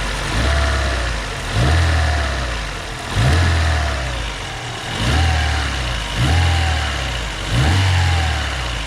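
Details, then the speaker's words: Daewoo Lanos engine, rebuilt after a knock (block checked OK, factory cylinder hone kept), warmed to operating temperature before a hot oil pressure check. Revs and settles smoothly and evenly, earlier noises gone, slight smoke. Normal engine running. "так машину прогрели сейчас уже этих звуков не слышно"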